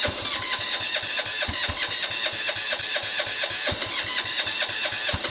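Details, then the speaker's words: Sears Suburban 6 hp diesel garden tractor in freezing blizzard conditions, starter covered in frost: steady cranking about four beats a second with no firing catching; cold diesel hard start. "sounds like it's going but it's not"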